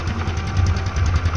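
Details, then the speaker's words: Honda Supra X 125 FI with an electrical fault, started without battery fitted: low even putter at steady idle, no knocks or rattles; runs normally, showing the charging supply is good. "Tanpa aki motor bisa hidup normal ya. Ini tanpa aki motor bisa hidup normal."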